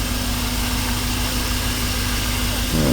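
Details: Single-cylinder misfire at idle on a 1985 Chevy 305 V8 with HEI distributor: slightly raised idle with an uneven, stumbling beat instead of a smooth rumble; misfire confirmed by a First Look exhaust sensor on a PicoScope.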